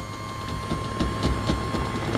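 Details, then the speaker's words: 1972 Oldsmobile Cutlass 442 convertible top pump running: a steady electric motor drone with a constant high whine, sounding laboured. The top works up and down, but the pump is low on fluid and the button sticks. "okay there you go now the top and up and down button does work like I said it's low on fluid"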